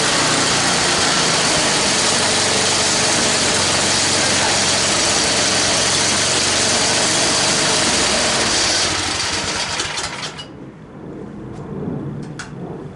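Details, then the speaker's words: Toro 824 snowblower with new carburetor, started after sitting a few hours, primed with choke on: small single-cylinder fires and settles into an even, steady idle, then is shut off; normal cold start and idle. "All right, she's been here sitting in the shop for a few hours. I just want to see if she's going to fire up nicely."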